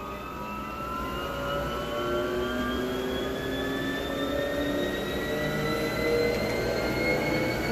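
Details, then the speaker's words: Free Motion treadmill running after the drive belt, roller pulley and drive motor pulley were cleaned with a steel brush; smooth motor hum rising with speed, squeak from drive belt now gone, very quiet. "you see there's no more squeak very quiet"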